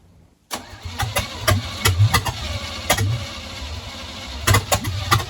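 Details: Small-block Chevy swapped into a TBI, formerly automatic Chevy truck, on its first attempt to fire. The starter churns at a steady beat but it never catches; the distributor was one tooth off, so ignition timing was wrong.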